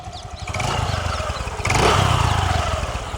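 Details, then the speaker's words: 2015 TVS Jupiter scooter, about 7 years old with about 50,000 km, warm after riding, at idle: quiet, even putter with one light throttle blip, no rattling or unwanted vibration; very silent, healthy engine. "बिल्कुल silent engine है। मैं खुद इसे चला के लाया हूँ और इतना साइलेंट है ये स्कूटी, पर्सनल मेरी फेवरेट स्कूटियों में आती है जुपिटर।"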